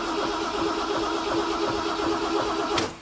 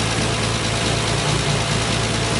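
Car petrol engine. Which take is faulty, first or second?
first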